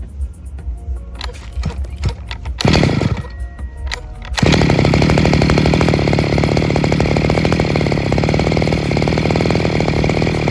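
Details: Second-hand Robin NB411 two-stroke brush cutter with a diaphragm-pump carburetor and the original clutch housing, fully rechecked on original parts: after a few fumbling pulls it catches and settles into a smooth, steady buzz with no misses or rattles. It sounds healthy.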